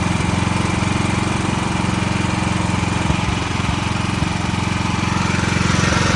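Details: Backup generator running during monthly life-safety test, steady even engine chug at constant speed, no misses, knocks or hunting; normal healthy running.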